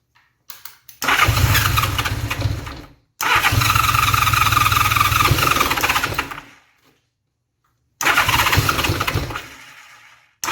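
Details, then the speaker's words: Honda Gold Wing bobber running on one carburetor, an electric fuel pump bypassing the mechanical pump for diagnosis; the engine catches, runs ragged, clunking and uneven on half-starved fuel, dies and is restarted repeatedly; possible exhaust leak. "the thing to run uh you'll hear it clunking and banging around it's kind of running on whatever fuel it sort of half gets yeah you're you'll hear it making some noise it's running on one carburetor"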